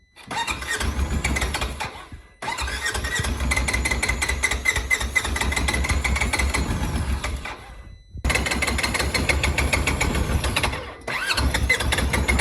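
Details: Polaris Ranger 900XP side-by-side that is very hard to start and has a loud motor noise. Compression was 125 psi on one cylinder and about 85–90 on the other. Cranking is long and repeated with short pauses and won't catch cleanly; the cause of the hard start is not yet found.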